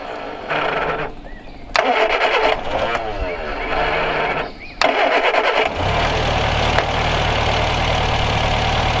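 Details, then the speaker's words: Car that had sat almost 30 years, restarted, fuel hose clamp not quite holding: cranking, a catch and few stumbles, then steady even idle with no knocks or misses; normal idle. "Yeah, that fuel clamp ain't quite holding my hose on, but it's running off its gas that's in there pretty good. No complaints here."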